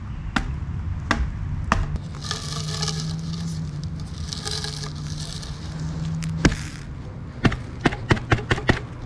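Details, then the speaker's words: 1998 Ford Ranger lower heater hose, during replacement of the heater control valve and 4 heater hoses: dry crackling and crunching in irregular bursts as the hose is squeezed; hose rubber crunchy and deteriorating, being replaced. "That's why we're replacing them cuz they're crunchy and deteriorating."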